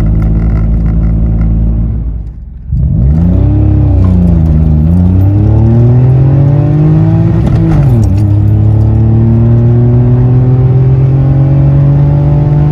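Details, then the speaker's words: Citroen C1 (C1/107/Aygo), repaired exhaust with removable dB killer baffle taken out, heard from inside the car: deep booming exhaust drone rising and falling with revs, very loud and deeper than with baffle fitted. "inside the car it's a lot louder it's a bit lot deeper and a lot more drawn it"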